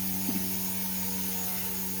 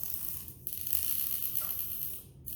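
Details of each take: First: XK K130 small RTF electric helicopter after crash repair of broken servo gears: steady motor whine at even pitch with a clean drone underneath; drivetrain spools up smoothly and healthy. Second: XK K130 RC helicopter after a crash, checked in a pitch test: short raspy grinding bursts with gaps as a servo sweeps, skipping at one spot; a stripped servo gear (two of the three servos had broken gears).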